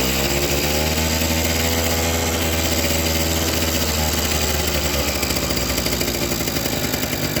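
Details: Suzuki RC two-stroke after cleaning carburetor pilot and main jets, now starting and idling well: picks up from idle then goes ragged and uneven, stuttering instead of revving out, felt as fuel-hungry and heavy; likely rich; stutter at high throttle.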